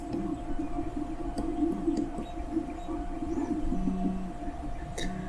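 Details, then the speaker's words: Shark motorcycle radio on audio input with no program playing: sharp pops and crackle over a steady hum and warbling low tones; the only fault found was a fuse with a loose connection. "You can hear popping, crackling."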